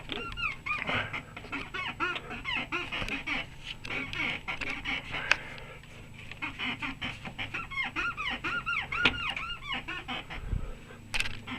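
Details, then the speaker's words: Lada Niva rear suspension squeak, repeated rubbery creaks as the rear body is rocked; first suspected a bearing; worn reaction rods (trailing links) found and replaced. "значит начали раздаваться скрип и сзади не мог понять что скрипит думал подшибник оказался в туловище берем"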